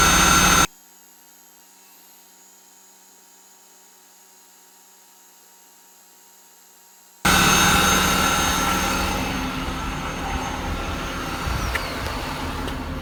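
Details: Jaguar XJ6 X300 non-supercharged engine after replacing both serpentine belts: after silence the engine fires and settles into an even steady run, no squeal or chirp from the belts; normal running.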